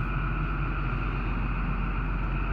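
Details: Diesel engine just after a new fuel filter pump was fitted: even, steady idle with a deep low rumble and a constant upper drone, no misses, surging or knocks; the repair fixed the problem.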